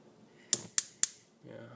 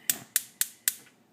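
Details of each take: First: Electrolux gas stove cooktop burner: sharp igniter clicks about three a second, then a puff as the owner blows on it; he believes the burner fails to light from too much gas, not too little. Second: Electrolux gas stove cooktop burner after cleaning: four sharp, evenly spaced igniter clicks about four a second, then quiet as the flame catches; it sparks cleanly and the burner lights.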